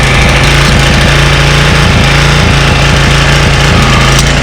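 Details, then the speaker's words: 1985 Honda HR214 mower, unused since 2022, running after start: steady, even drone at constant speed with no misses, knocks or surging; runs perfectly; normal running. "But if I turn it off, you can hear it runs perfectly now."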